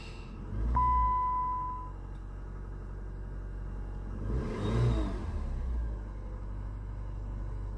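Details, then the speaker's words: 2007 Chrysler PT Cruiser non-turbo after new valve cover gasket, spark plugs and plug wires: starter chime, quick catch and short rev, then steady even idle with no ticking or misfire; normal start and idle. "I think we're good to go to shut this hood and turn it on see if it see how it sounds"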